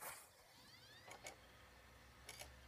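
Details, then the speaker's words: PS4 console at power-on: disc drive spins up with a rising whine broken by short raspy buzzes over a low hum, worse once a game starts; owner unsure if it is a vibration, and clicking the drive down did nothing. "You hear that little buzzing sound there? Yeah, that starts up, but when I start the actual game, it's very noticeable. It really is bad."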